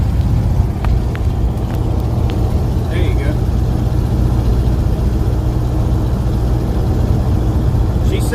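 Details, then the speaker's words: 1979 Chevy C20 350 V8 four-speed, sat since 2005, after short drive: deep thumping idle with uneven lumpy beats and odd stumble; rough idle, owner suspects distributor installed with number one in wrong position, planning to reinstall it. "a little bit rough but hell if I sat for 30 years or 20 years I'd be sounding rough too"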